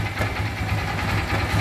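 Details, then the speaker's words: Motorcycle at idle: loose, uneven rattle on the clutch side of the engine over a low idle thump; it stops when the clutch lever is pulled and returns on release, indicating a worn clutch basket. Clutch basket rattle. "simplesmente você vai ligar a moto e olha aqui o barulho já tá aqui ó você vai acionar a manete de embreagem acionou acabou o barulho"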